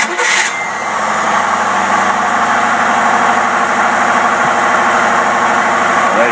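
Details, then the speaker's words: Rebuilt Rochester two-barrel carburetor tested on a running engine after building oil pressure. A short crank catches at once and settles to a steady idle, set rather high, suggesting possible vacuum leaks: easy start. "see it started right up with no problem"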